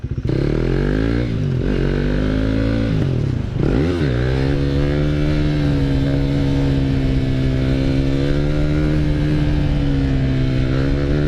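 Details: 2016 KTM Duke 390 single-cylinder after a shop fixed its stalling (owner had cleaned injector and throttle body; parts replaced): pulls smoothly through the revs and holds a steady, even drone under way, no surging or cutting out; running normally.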